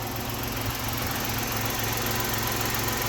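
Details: 1990 Dodge Grand Caravan LE after exhaust rehanging with longer muffler rubbers and a repositioned hanger bar: even steady low idle, soft exhaust note, no blowing or rasping; normal idle.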